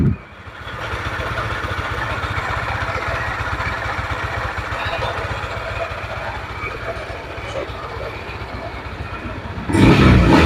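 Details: Yamaha NMAX at idle with the CVT roller housing removed: a rough, uneven clatter, then a sharp rev. The noise persists without the CVT, so it is suspected to come from the crankshaft side of the engine; not confirmed.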